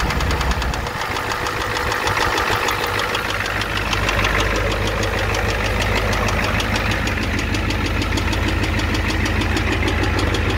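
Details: 1988 Ford F250 7.3L IDI diesel at idle, with a high-pressure fuel line leak, white/gray exhaust smoke, smoke from the oil dipstick and oil in the add zone: loud steady knock about three per second over the clatter. Cause not confirmed.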